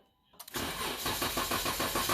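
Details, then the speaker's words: 2012 Dodge Durango 3.6L: the starter cranks briskly and evenly but the engine never fires. Fuel pump circuit power (fuse M25, 20A) comes and goes; a TIPM fuel pump relay not actuating correctly is suspected, not confirmed. "So right there, we lost power. We had no power for a long time. We got power, and then it lost power again. So it's almost acts like that TIPM, the relay, is not actuating correctly."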